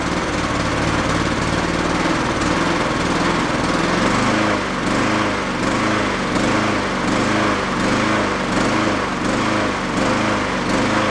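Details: Yard-sale Honda mower after fitting a slightly larger jet; engine rises and falls about every second and a half, never settling; the larger jet didn't help; hunting, idle circuit clogged; runs decently on partial choke.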